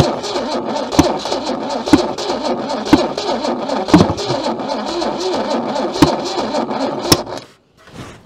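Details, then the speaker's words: Junkyard Holden with breaker-point ignition, left sitting for decades: slow, uneven cranking at about one stroke a second that speeds up and drags, with the battery running down. One stuck-open valve is blowing compression back through the intake. "You hear it sort of speed up and slow down. That's a good observation. That's the sign that it's blowing back under this valve."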